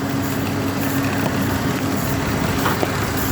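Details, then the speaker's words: Chevy Trailblazer after replacing fan clutch that caused loud whining wind noise; engine runs evenly with light steady fan rush and faint hum, no roaring — normal fan noise. "got the new ac clutch in and uh sounds pretty good"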